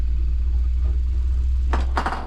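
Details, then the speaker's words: New Artillery Sidewinder X4 Plus S1 3D printer running its resonance compensation calibration after setup, to reduce ringing in prints. Deep, steady humming buzz as it shakes the frame and camera. Normal calibration vibration. "Joe, the 3D printing professor was the one that told me about the the all the newer printers, I guess, have this test that they do in order to help get rid of ringing and such like that from the from the prints."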